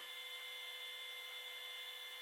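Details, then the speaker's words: 2016 Ford F-350 6.7 Powerstroke diesel after an oil and fuel filter change, key on, engine not running; faint steady high-pitched electric whine with a thin hiss, likely the fuel pump priming; cause suspected, not confirmed. "check coolant out of there check all that stuff it sounds like the fuel pump"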